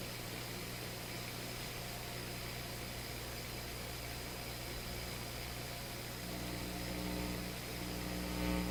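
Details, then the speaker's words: Electrohome Kalmar console stereo receiver, bass control at its extreme: constant low hum with hissy wash growing louder. Suspected leaky capacitor in the bass/tone control circuit, unconfirmed. Hum and noise at bass control extreme. "I get hum. The bass is turned up. You know, that's not too surprising. If there's a little bit of hum in the radio, you turn the bass up, you're going to hear it."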